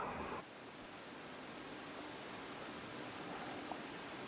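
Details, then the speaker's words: MSI GT735 retro gaming laptop (2008, AMD dual-core 2.1 GHz base, turbo to about 2.7 GHz): steady airy cooling-fan hiss at moderate speed, the non-overclocked state, much quieter than the loud turbo roar under full load; normal fan noise. "wydajność ale też i sporo cieplejszy jeżeli chodzi go temperatury no i też wydaje z siebie dość potężny Ryk samych tutaj finów tych kratek wentylatora"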